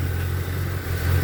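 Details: 1978 Chevy C10 truck with a freshened engine, 400 Turbo transmission and 4.3 starter: steady low idle rumble with an even beat and no knocks or misses; healthy, smooth-running engine.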